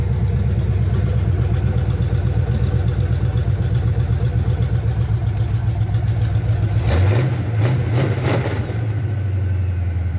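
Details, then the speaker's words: 1976 Chevy C10 small-block 350 V8 after a 2-barrel to 4-barrel carburetor swap, choke opened, timing set for startup only: deep lumpy burble with a brief rev blip, settling to a steady, even, healthy idle. "that sounds pretty damn healthy"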